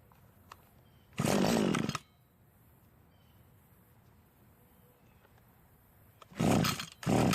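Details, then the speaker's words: Cub Cadet commercial two-stroke trimmer that was hard to start and ran poorly because of a hardening carburetor metering diaphragm. After the carb rebuild, quiet gaps give way to two crisp revs that rise and fall cleanly; it starts and responds. "The carburetor did need a slight adjustment when the trigger was squeezed. Most of the time, however, an adjustment will not be needed."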